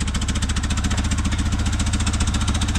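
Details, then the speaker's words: 1974 BMW 2002 idling after sitting over 30 years, on old gas: steady heavy thumping about ten pulses a second with a lumpy, uneven beat; rough running, likely misfire, owner suspects bad spark plugs. "let it burn that gas down pretty damn Qui it is quiet right sitting for 30 years but it's definitely got bad plugs in the"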